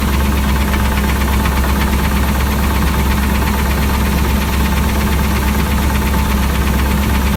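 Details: Car engine at idle, noise started suddenly while driving and car parked since: quick, steady metallic ticking or knocking keeping time with the engine; owner unsure whether rod knock or lifter tick.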